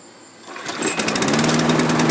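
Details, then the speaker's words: 2012 Toro mower, Briggs & Stratton 7.25hp with automatic choke, sat 24 hours: catches and runs thin and fluttering, sounds suffocated; owner suspects stale gas, plugged jet or air issue, needs carb clean. "you know it sounds like it's suffocating let me pull the uh air filter cover off we either got an air issue lack thereof or a fuel related issue i mean it's bad but it should be running better"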